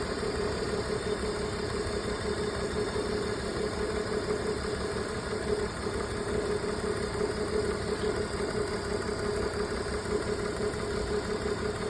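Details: BMW at idle, diagnosed misfire on cylinder 2: slightly lumpy, uneven idle beat with some pulses dropping out; engine misfire at idle.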